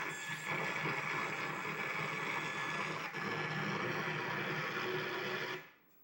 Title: PS2 Slim (SCPH-75004) freezes and makes strange noise